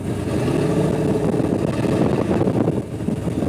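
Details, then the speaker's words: Chevrolet 3100 ratrod pickup, turbo LS (462), E85, first drag pass at wide-open throttle: engine note hangs and flares instead of dropping into second; transmission lazily slipping, burning through the 1-2 upshift. "you can hear it, it just doesn't want to make the 1-2 shift. It's so lazy, it just like burns through it."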